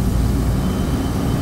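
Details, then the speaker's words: Beer walk-in refrigeration compressor that had tripped on thermal, pumping down and expected to cut out around 25: low rough uneven churning drone; compressor bypassing internally, internal pressure relief suspected faulty. "I'm not hearing something good in that compressor it sounds like it's bypassing when it's pumping down it is"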